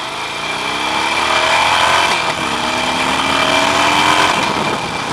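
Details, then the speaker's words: Harley-Davidson Nightster 1200, engine still cool: clean rising and falling exhaust note as the throttle opens and closes, no rattle on top. Normal revving; the rattle usually appears only at wide-open throttle when warm. "Okay, so that's basically what the motor should sound like. And that's exactly what it does when the bike is cool."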